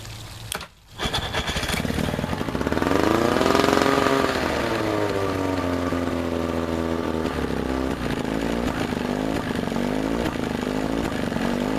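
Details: Evinrude two-stroke outboard after water pump impeller replacement and shift linkage reassembly: engine catches after a brief crank, rises to a buzzy rev, then settles to a steady, even run with no odd noises; normal start.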